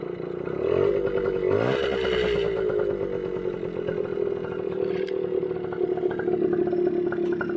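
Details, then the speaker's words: 1979 Yamaha MR50 two-stroke, stood ten years outdoors, after fixing a no-spark condition (part probably dirty all along); fires with one kick, blips with a quick rev, then settles into a steady, even buzzing idle, running cleanly. "now it's just one push and it fires right up so i'm actually gonna try now [Music]"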